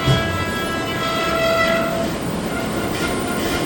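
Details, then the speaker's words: Elevator machine room, Schindler TXR5, 2014 install, car two: a steady room rumble with a thin, wavering high-pitched squeal from the governor, an abnormal governor noise of unknown cause; cardboard was later found wedged into the governor. "That governor is making some kind of strange noise. We don't know what that is yet."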